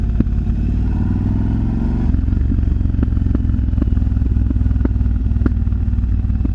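Deep lumpy V-twin idle with sharp pops cracking out roughly every half second after the revs drop; exhaust popping, cause unknown.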